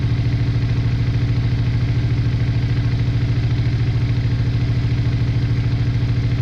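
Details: Honda Bros/Hawk GT 650 (late-80s V-twin), just started after battery trouble, briefly on one cylinder, now running on both while warming up: steady, even idle, regular low thump about 160 beats a minute, no misses or knocks. Owner checking for a small coolant leak.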